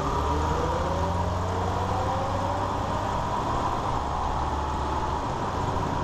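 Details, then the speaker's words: 2001 Ford Ranger 4x4 test drive after rebuilding the worn front driveshaft CV joint: steady low engine and road drone with no rattle; the earlier slow-speed clicking rattle is gone. "all right so as you're heard the noise is gone the rattling so yeah if you all have this problem I'll hear that rattling sound"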